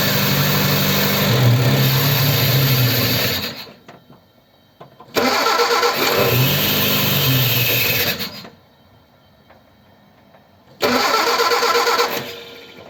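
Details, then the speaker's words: Ford 100E cold start after adjusting tight charging-regulator contact gaps; fires and runs a few seconds three times, then fades and dies; spark present; fuel starvation from faulty fuel pump. "okay well it stopped running it won't run there so I don't know what's the matter"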